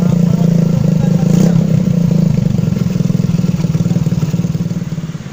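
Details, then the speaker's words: Suzuki Shogun motorcycle, engine still cold, hard starting: idle unstable, wavering and sagging as if about to stall, dies when idle is lowered; carburetor checked, intake air leak. "jadi motor ini susah hidup sama keluhannya kedua gasnya tidak stabil ya Nah kalau kita setel kita turunin gasnya ia malah mati"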